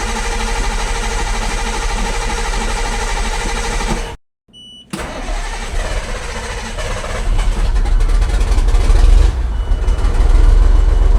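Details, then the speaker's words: Detroit 8.2L Fuel Pincher diesel truck after a fuel system overhaul with the injectors removed, started on an uncharged battery without priming: a brief crank, then it catches at once and settles into a steady idle. A healthy start. "If there is a good thing to say about this engine, it does like to run. No bleeding, no primer pump, no glow plugs. It just starts."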